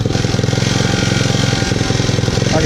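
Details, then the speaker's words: 150cc Yerfdog go-kart engine, recently revived, idling: quick even putter that keeps pushing up instead of settling low, surging as it idles down with some vibration; owner thinks idle speed needs turning down a bit. "hey now the vibration somewhere I gotta fix that Mike idling down trying to surge"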